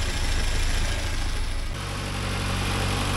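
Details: 1979 Porsche 924, cold engine with no heat yet, after adjusting warm-up regulator fuel pressure: even low steady idle, no knocks or stumbles; normal idle.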